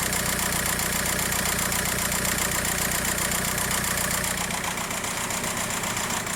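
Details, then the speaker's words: 2004 VW Beetle TDI with BEW PD diesel, P1666 injector and P0301 misfire codes; ECU has shut off the number one injector; rough lumpy idle with uneven beat; misfiring cylinder from dead injector. "see the motor still misfiring like crazy"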